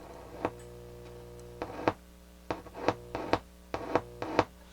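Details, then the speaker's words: Toshiba SA-300 stereo receiver at first power-up after tuner recap: steady hum with crackling pops on the right channel only, DC on the right channel on all inputs, left quiet; cause still to be investigated. "so going on in the right channel we got dc on the right channel you can hear it on the balance"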